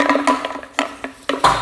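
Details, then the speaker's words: Weed Eater string trimmer fuel tank, empty and shaken by hand: hollow, irregular knocks as the fuel pickup rattles loose on the tank bottom, its rotted fuel line broken off flush so no fuel is picked up. "anyways you can hear that rattle that is the fuel pickup that is stuck in the bottom and the line has rotten right off check it so it's just I'm not even going to pull very hard just broken flush right there so it's not picking up any fuel"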